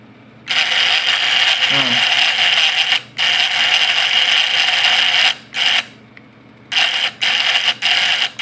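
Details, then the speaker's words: Points-type (platina) PS fish-shocker vibrator inverter: harsh high buzz in on-off bursts of a second or two; points vibrate because the adjustment is too loose, so must be tightened slightly. "Agak kendor ya guys. Ini nampak bergetar. Nah, jadi di sini dia kalau bergetar gitu tandanya setelannya kendor."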